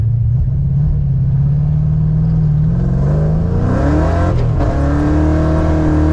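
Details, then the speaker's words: Tuned 331 stroker V8 in a GT with a smaller intake, driven after a failed brand-new part left it dead; note climbs smoothly, dips briefly at a shift, then pulls clean again, stronger than expected. "i feel stronger than what i'd expect that'll be 331 yeah it's it it feels amazing"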